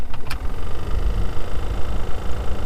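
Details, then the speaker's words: 2003 Toyota Matrix blower motor before replacement: fan running with a soft rhythmic tick about four times a second over a low whoosh; ticking blower motor, to be replaced with part BM0016. "hoping to get rid of that ticking noise"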